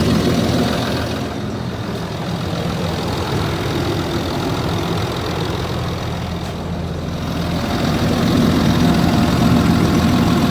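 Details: Land Rover Discovery 3 2.7 TDV6 diesel idling cold: a steady, rapid knock of three or four a second over the diesel clatter; cause not pinned down.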